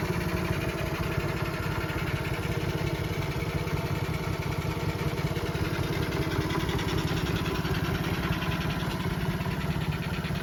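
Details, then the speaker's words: Restored Honda CT70, four-speed, with either the 110cc electric-start or the original 70cc engine: a small single-cylinder popping at a steady, even idle with a quick regular beat, no knocks or rattles. A normal idle. "i restored a couple ct 70s this one's got the 110 leaf on engine electric start the blue one's got the 70 cc engine in it both four speeds get started so you can hear how it sounds"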